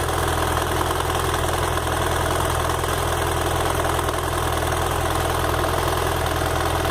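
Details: BMW F 800 GS, bought at 2,600 km: fine, steady ticking a few times a second at hot idle, louder on the side stand, stopping when throttled and not always present; cause unknown.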